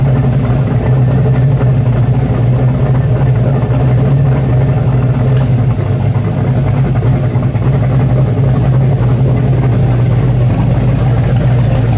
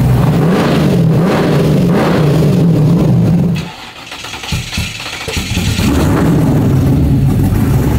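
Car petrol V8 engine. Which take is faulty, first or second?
second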